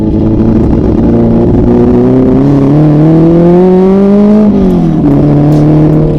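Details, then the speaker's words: Turbocharged Honda S2000 AP1 on its first drive, warmed up for a few minutes. Engine note climbs under boost, then drops sharply near the top and stumbles, cutting out like a two-step. Cause not yet figured out. "Like, you hear it like if it's kind of almost two-stepping, but it's not. So I'm also trying to get that figured out."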